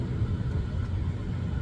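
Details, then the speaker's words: 2007 Chevy Avalanche HVAC blower fan on high after blowing pine needles out of the fan that caused a harp-like ticking chirp: steady low airy rush with no chirp or tick; chirp gone, normal blower operation, motor not replaced. "Nothing. Chirp's gone. It was pine needles."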